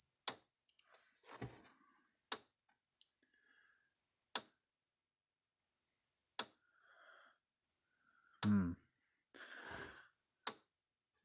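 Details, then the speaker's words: Old O'Briens model 16/110 electric fence energizer plugged in for testing before repair: sharp dry click every two seconds or so as it pulses, with its lights flashing out of sync with the clicks. "So, let's go ahead and plug this thing in again. I It's been a couple days since I actually looked at this thing, so I'm going to plug it in. I can hear it clicking."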